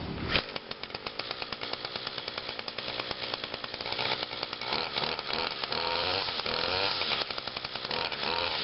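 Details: Trimmer, run briefly last week, started on choke with five primes: fires on one pull into a crisp high buzzing two-stroke note that settles and holds evenly; running cleanly, normal running.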